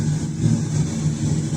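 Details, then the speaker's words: Old Infinity FX6000 amplifier under repair, faulty power supply and broken speaker socket bypassed, radio input playing: heavy steady low hum from the speaker; excessive amplifier hum. "ये बहुत ज्यादा humming कर रहा है दोस्तों।"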